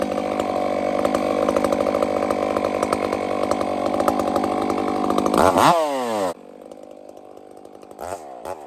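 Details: Chainsaw on a hazard-tree removal holds a high buzzing scream for about five seconds, then the RPM sags and wanders under load.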